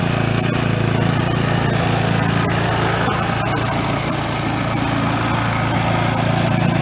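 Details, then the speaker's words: Brand-new Toro TimeMaster 21200 electric-start mower, first start: a steady, even engine hum at idle, then blade engagement with a smooth blade whirr; no knocks or grinding, running right. "this is me starting the mower for the first time just want to hear how it sounds when it idles and then I'm going to let you hear how it sounds when you engage the blades"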